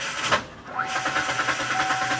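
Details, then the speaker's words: 2008 Kia Sportage with 200,000 miles and a no-start, earlier suspected to be a fuel pump fault. Unusually fast, light cranking with no compression bumps and no firing; sounds like a broken timing belt. "And then the fast cranking that sounds like a timing belt."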